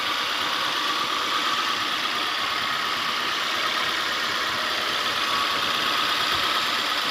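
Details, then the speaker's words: 1997 Honda CR-V RD1 warm after half an hour running, O2 sensor replaced, earlier misfire and red-glowing catalytic converter; smooth even idle with steady hum, no stumbles, knocks or missed beats; converter no longer glowing, warning light still on. "the engine runs smooth"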